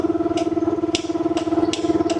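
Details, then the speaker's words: Graco LineLazer V 200HS line striper piston pump priming, paint cycling from suction tube through pump and manifold out drain tube: quick even ticking strokes over steady hum; normal pump cycling. "now we know that paint should be priming through the unit and cycling from the suction tube into the pump through the manifold and then out the drain tube"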